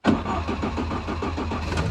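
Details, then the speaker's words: Mk2 Ford Escort with swapped ST170 four-cylinder, first start, mixture set at idle via old spark plug in place: rough, lumpy idle with pops and bangs, flame yellow; clearly rich, mixture screw needs winding in. "Try and get it to run smoothly. But yeah, you can see that that's clearly rich. I think that means I need to wind the screw in."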